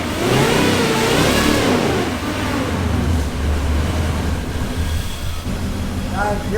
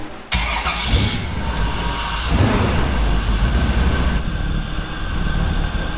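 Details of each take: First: Off-road wrecker V8 on a stopgap exhaust, warming up with no load: light throttle blips rise and fall cleanly with no stumble. Reversed sensor wiring that gave a bad RPM signal has been corrected, all cylinders pulling evenly. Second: Off-road wrecker V8 on a stopgap exhaust, cold at about 125°F water temperature: catches and runs lumpy and uneven with a stumbling exhaust beat; misfiring, likely on dead cylinders, header temperatures suggesting perhaps two cold on one side, one on the other.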